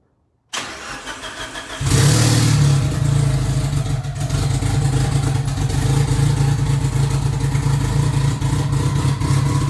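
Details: Modified Mitsubishi Evo on true E85, cold day at about 35-40°F, tune struggles in cold: after a few weak turns it catches, flares loudly, then holds a deep, steady, throaty idle; sounds healthy.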